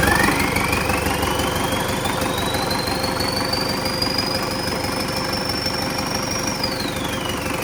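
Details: An MTZ-82 tractor diesel with a newly fitted TKR-6 turbo runs at its first start on a frosty day. A steady rumble carries a clear turbo whistle that climbs as revs are raised slightly, then drops off: normal spooling.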